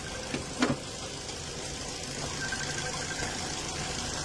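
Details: 2019 Ford EcoSport EcoBoost, healthy comparison unit to a blow-by engine: quiet even idle with faint steady tick, no knocks, misses or hiss, no smoke; engine sounds healthy.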